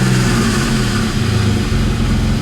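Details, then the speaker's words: BMW E46 with codes for cylinder 5 misfire, random misfire, O2 sensors and fuel trim, running after codes were cleared: uneven, lumpy idle with stumbles, light not yet back on. Misfire at idle; valve cover suspected, not confirmed. "yeah definitely runs rough um light hasn't came back on yet but it uh definitely makes some like weird weird sound of listen to this"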